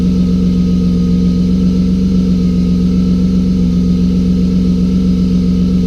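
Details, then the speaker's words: BMW drift car just after fixing an injector issue: strong, even low engine drone with a steady firing beat and no misses or stumbles; engine idles smoothly and sounds good. "well she sounds good"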